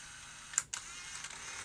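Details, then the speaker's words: Sony BE-V8 8mm tape rewinder/eraser (1985) on fast forward with the erase light on, erasing with its eraser magnet: a couple of sharp clicks, then a steady high airy motor whir of tape spooling at speed, running normally. "Now press fast forward, and now it's erasing the tape as it goes with that"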